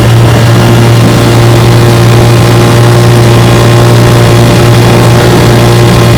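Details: Restored 1958 Johnson 3 HP JW14 outboard (restore number 90), fully rebuilt: magneto, lower unit, gear case. Warm start, pushing a boat about five miles an hour on a lake. Loud, even low-pitched two-stroke drone with no misses or rattles: normal running.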